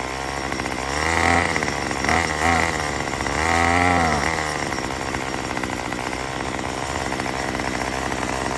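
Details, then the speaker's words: Two-stroke Murray M2500 trimmer after a new carburetor, fuel lines and cleaning: buzzing idle, but each throttle blip climbs sluggishly and sags. Still bogs; owner suspects the mixture needs adjusting with the kit tool. "So guys, that was very amazing, but it's still bogged. So I actually wonder if it's just the mixing that we have to do, which it does come with the tool that we can do."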